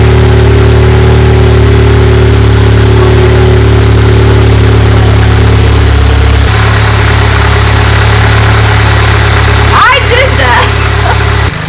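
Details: VW MK7 Golf R idling just after camshaft install, not yet at operating temperature: steady, even low idle with a smooth hum, no stumbles or misses. Whether the cam fixed the problem is still unknown. Normal idle.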